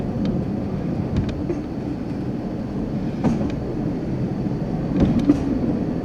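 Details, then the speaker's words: High rail vehicle under 10 mph on a 4-degree curve near MP 109, outside rail 5 inches higher, camera on dashboard, before tie restoration: slow steady rumble with sharp irregular bangs every second or two at worn rail joints. "it's good the video i'm sorry the audio will pick up the noise and that's good that they can hear the banging i think why it had to be restored"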